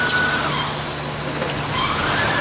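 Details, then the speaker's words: High-mileage 1999 Honda Odyssey with EGR code P1491, EGR valve forced open with 12 volts at idle; idle roughens and sags to near stall, showing the valve opens; position sensor suspected; engine stumble from EGR valve forced open. "I'm going to supply it with some power I don't know if you can hear it on the video or not but that that made the engine stumble severely"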